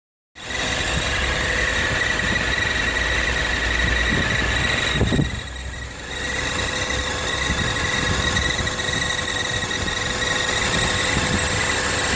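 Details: BMW E46 six-cylinder: a steady high-pitched squeal rides over an even idle and doesn't change through the clip; the source isn't obvious yet.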